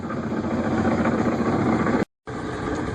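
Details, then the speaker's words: 2005 Yamaha F250 starboard outboard at low idle in forward, slightly quieter than reverse but still a throaty, uneven knocking note about four a second; lower unit had failed and was replaced, bubbling from misaligned lower unit gasket. "and here it is forward it's a little quieter but it's still a little throaty"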